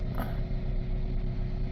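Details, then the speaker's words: $300 2007 Chrysler Sebring 2.4 idling after plugs, coils, throttle body, valve cover gasket and pedal sensor were replaced; codes still present and O2 sensors not yet replaced. Even low rumble, steady beat, no misfire; sounds much better, slight shake remains. "it sounds so much better. All right. Yeah, pretty good. Still got a bit of a shake to it."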